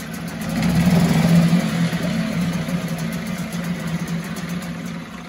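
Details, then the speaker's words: 1974 Mercury 4 hp single-cylinder two-stroke outboard after revival work: quick pull, catches right away and settles into steady even idle; easy clean start. "it don't get any better than that that is a sweet easy starting machine"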